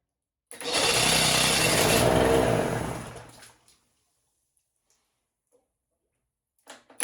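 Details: 1968 Electrolux Penta E-50 43 hp three-cylinder two-stroke outboard, first run after 20+ years, in test barrel: buzzes unevenly under three seconds then dies; two lower cylinders stay cold, only top fires, water pump not drawing.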